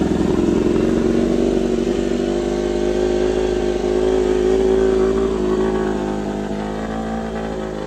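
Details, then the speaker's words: Honda RC213V-S, freshly assembled with oil primed, first start: steady, even mid-pitched idle hum, no ticking, knocking or stumbling; running cleanly. "There it is. First time running."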